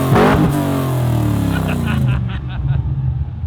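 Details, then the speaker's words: LS1-swapped HQ Holden on first drive, diff dumps refitted, no tailpipes: deep burbling V8 blips up and drops back, low rumble with intake roar and overrun crackles, sounds much better. Normal V8 revving. "That sounds good. That sounds a lot better, doesn't it? Yeah, it sounds heaps better."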